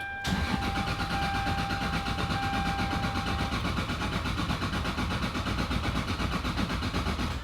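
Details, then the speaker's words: Single-turbo Toyota Supra after rebuild (new brake lines, fuel pressure sensor); steady even starter cranking with a faint whine but never fires, cause unfound despite ECU base settings check: crank no-start. "the issue was perplexing everything appeared to be in place for the car to start yet for some reason it just wouldn't"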